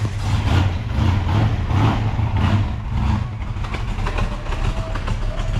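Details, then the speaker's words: 1971 Mustang with 347 stroker and 5-speed manual swap, at idle: heavy, booming low drone pulsing slowly with little crispness; stainless muffler's restrictor flap plates choke the exhaust, much better once replaced. "okay that sounds absolutely horrible Carl he stainless steel little restrictor got to goly he PL to get a new exhaust but that sounds so much better these things are just horrible little flap plates in there like what a restrictor"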